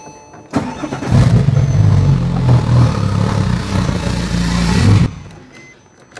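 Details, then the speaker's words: Porsche 911 Turbo with 1300cc injectors on old stage 3 tune, before loading COBB stage 3 tune: starts into uneven lumpy idle, very rough, blue smoke as excess fuel washes cylinders; rough rich idle from mismatched injectors. "we're going to start the car right now before we put the cob tune stage 3 with the 1300 flow CC injectors and you'll hear the sound it's going to house it's going to sound very rough"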